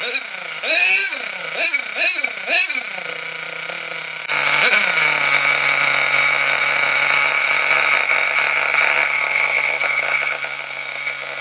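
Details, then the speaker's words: Nitro RC car engine, cold, just started with glow plug: quick high revs sag instead of climbing, buzzy wavering idle; running lean and starving for fuel, needle valve opened about half a turn. "When I was revving it up and it was starving for fuel, you could hear it going, and that was partly because it was cold, but also because"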